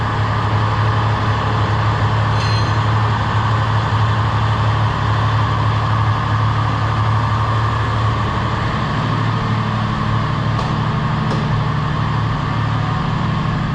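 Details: Ford XF Fairmont idling after replacing an undercharging alternator and fitting a new battery: even, low idle rumble with no knocks, squeals or charging whine; healthy, no dash warning lights.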